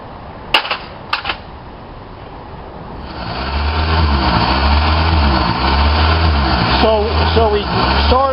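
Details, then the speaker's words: 1990 Toyota Tercel, 3E 1.5 engine, first start after a head gasket job and timing belt fit: after a couple of clicks it catches, then the idle surges high, rising and falling about once a second; the idle air control valve is suspected, not confirmed. "the uh Cel and it looks like we got a surging high idle speed problem at the engine"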